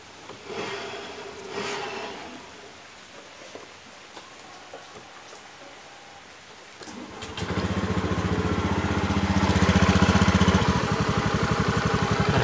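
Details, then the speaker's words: Honda BeAT scooter after CVT and final-drive (gardan) bearing work, with clutch shoes patched using old brake lining: the engine starts and settles into a steady, even idle with no vibration from the drive anymore; normal idle. "Dengarkan suaranya, saudaraku. Sudah tidak bergetar lagi, bro."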